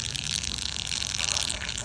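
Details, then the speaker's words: Sling TSi homebuilt aircraft right wing fuel tank, pressure-tested to about 1 psi with a bicycle pump and soaped: continuous fine crackling fizz of bubbles from a tiny pinhole at the top back of the tank, which needs patching. "Yeah, right here. There's a tiny little hole right there that needs to get patched."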